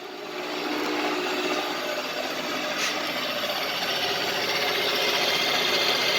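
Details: Light milling cut in mild steel on a LeeJay 3-axis CNC with Anilam 3300MK control and AC variable-speed head, spindle about 900 rpm, circle-mill program; smooth even hiss, servo sounds good, no chatter or squeal: normal milling cut.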